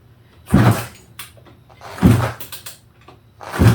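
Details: 1987 Suzuki Quadzilla 500cc two-stroke after engine rebuild, first start attempt on choke with no coolant: three heavy kick-over thumps with firm compression, never catches; spark plug boot possibly not fully clipped on.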